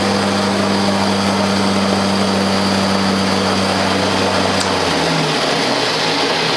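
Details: 1979 Ariens 924-series snowblower converted to battery power: Leeson DC motor, Honda Accord hybrid NiMH batteries, Prius contactor, original pulley with 3D-printed adapter, stock drivetrain; steady low electric hum whose tone shifts with load near the end, running smoothly and healthy.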